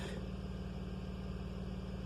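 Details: 2008 Volvo XC70 idling in drive or reverse with foot on brake: heavy rapid low thumping knock under the hood that disappears when the foot comes off the brake.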